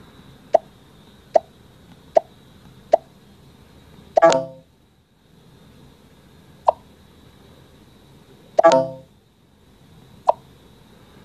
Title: iPhone 8 Plus crackling sounds (Fixed in iOS 11.3)